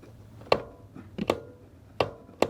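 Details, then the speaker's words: Mercedes-Benz S123 300TD with 720,000 km and 722.315 automatic transmission: four sharp, distinct clicks as the kickdown switch is actuated; switch working normally. "yeah that switch is working just fine unfortunately"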